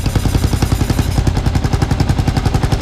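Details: Kawasaki KLR 650 single idling steady and even at about ten beats a second, no hunting or surging; normal idle during propane vacuum-leak check.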